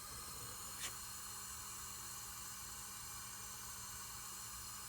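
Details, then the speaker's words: Salvage Cadillac CTS-V 6.2L supercharged LSA V8 from a front-end impact, during a leak-down test with the valve cover off and the engine not running: steady high hiss of a massive amount of air leaking past the piston rings. "you can hear a massive amount of air that is leaking past the Rings and because of that I just can't sell this engine as a good usable engine"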